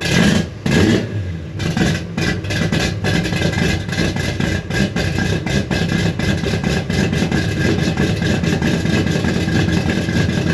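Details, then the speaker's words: 1957 Chevy V8 revived after 31 years, started after the fuel sending unit was fixed: catches and settles into a fairly steady idle, slightly rough at first; runs well, idle still needs adjustment. "so I guess that was the issue because it ran pretty good A little rough on the startup Idol still has to get adjusted"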